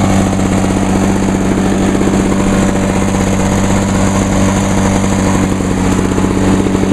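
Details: 1986 Lawnboy 8461 commercial mower, 21-inch cast aluminum deck, on choke, after fuel valve was turned on (had been forgotten off): small two-stroke buzzing at steady even speed, no misses or surging; running normally.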